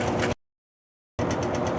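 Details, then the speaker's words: High-efficiency top-load washer in Auto mode, spinning for a long time with virtually no water in the basket. Steady whirring spin with a soft regular pulse, no sloshing: normal spin on an empty basket. "Been spinning for a very long time, and what makes it super boring is just knowing that there's literally no water in this basket."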